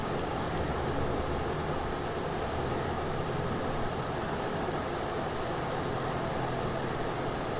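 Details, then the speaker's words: Samsung inverter AC outdoor unit after the malfunctioning relay on the outdoor PCB was replaced and the communication error cured. The compressor idles at 0.48 A, heard as a steady whooshing rush over a low constant drone with no knocks or rattles; running normally. "Compressor ஓடிட்டுருக்கு, 0.48 arms எடுக்குது. ஏன்னா இது ஐடியலில் ஓடுறதுனால அவ்வளோதான் எடுக்கும்."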